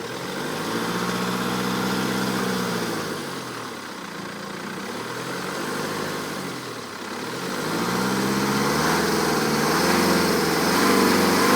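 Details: 2008 BMW 318d diesel at 140,000 km, revved repeatedly: metallic 'flflflf' rattle growing louder with revs and heard when stopping; noise gone after timing chain and tensioners were replaced.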